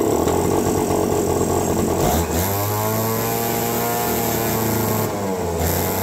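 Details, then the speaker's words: Mini chopper two-stroke restarted after plugging in the control module: buzzy engine that hunts and wavers in pitch instead of holding steady; runs rough, owner thinks a carb kit will fix it, fuel delivery suspected. "I think we get a carb kit for this thing it'll be rocking"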